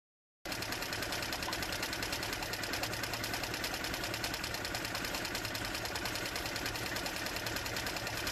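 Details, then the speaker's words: Mercury/Tohatsu 4/5/6 HP four-stroke outboard with just over 10 hours of running, at fast idle with the choke left fully pulled after it fired: busy, slightly uneven clatter while it runs rich. The choke should have been pushed in earlier. "Nu trebuia să las șocul tras la maxim, pentru că deja când a dat semne de pornire trebuia să-l bag."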